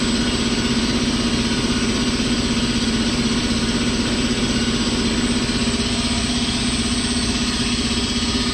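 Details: Ingersoll Rand T30 air compressor running on single-phase power through a Huanyang VFD, on the second day of wiring: a steady, even hum at a constant low tone with no surging, knocking or rising whine; running smoothly.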